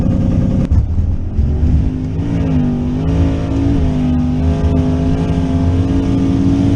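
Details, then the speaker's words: Twin-turbo third-gen Camaro on a 5.84 s pass at 119 mph under full load: engine note rises and falls rhythmically as boost oscillates badly, causing large rpm swings; boost oscillation. "I don't know if you can hear that on camera but the Boost is oscillating so bad"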